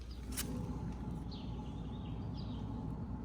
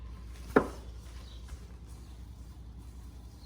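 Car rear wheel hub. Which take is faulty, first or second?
first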